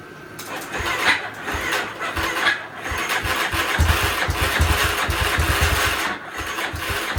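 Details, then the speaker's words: Yamaha Warrior 350 quad after welding an exhaust leak: small single-cylinder engine runs rough with uneven thumping and loud mechanical clatter; top-end noise persists, cause unknown, exhaust leak ruled out as main culprit. "The quad still sounds horrible. I'm not sure what's making all that noise in there."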